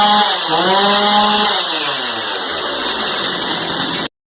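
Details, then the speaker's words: Stihl MS290 Farm Boss chainsaw after fitting missing air filter bushing that let sawdust reach the carburetor metering diaphragm; high whine drops smoothly to clean steady idle, no stumbling or hunting, then shuts off; now runs properly. "so the saw wasn't running properly but now that this is installed it should be just fine"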